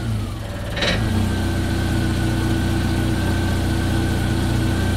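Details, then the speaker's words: Jeep Wrangler TJ with a high-idle complaint, TPS unplugged: after a brief blip it settles to a steady, even idle around 941 rpm with a faint whine above the low hum. The TPS is found bad, since plugged in it reaches 1700 rpm. Normal idle. "I actually unhooked the TPS and now the engine's running at 941 like it's supposed to"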